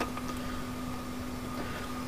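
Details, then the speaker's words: Lexus 1UZ turbo fuel system upgrade with a 044 pump and the in-tank pump running, engine off, pressure set to 45 psi via the external regulator: a steady, fixed-pitch electric hum with faint hiss of fuel in the lines. No leaks; normal pump operation. "And we can hear the fuel going through the lines. This all looks good. Can't see any leaks here."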